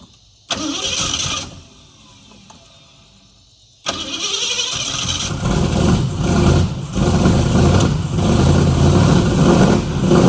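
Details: 1969 Mustang that sat 15 years, head shaved for higher compression; after new starter, new carburetor, swapped coil and distributor, cranks briefly twice then catches and settles into a slightly lumpy idle; old distributor suspected bad.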